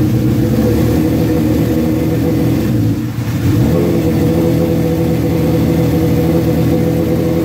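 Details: Suzuki GS1100E Mr. Turbo, first start after not running since 1996, after starter fluid and a little choke: a strong, steady four-cylinder drone with a brief dip and recovery, pulling evenly. Runs healthy; jetting still to be set on a dyno.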